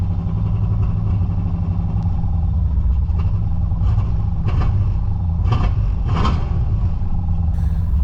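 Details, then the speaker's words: Holden VN Calais on its first drive after a build, misfiring: rough, uneven note with irregular stumbles and pops on the road, running rich enough to keep fouling the plugs. "It was just running so rich. It just kept failing the plugs."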